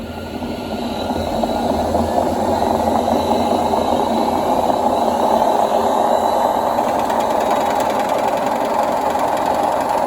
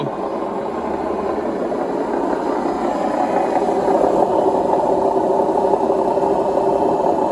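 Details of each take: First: Indesit WIDXL126S washer-dryer motor on a variac after the sticky brushes were tweaked: spins up smoothly as voltage rises into a steady, even whirr with no scraping or stalling; runs fine. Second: Indesit WIDXL126S washer-dryer found on the kerb, on a spin cycle test: loud, steady rumbling roar with a rough rattle building through the spin. Drum bearings badly worn.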